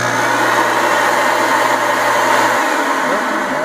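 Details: Rug Doctor carpet extractor after pump kit replacement (machine wasn't spraying), tested on tool setting with clean water: steady, even motor roar with hiss of spraying water, no knocks, rattles or grinding; new pump running normally.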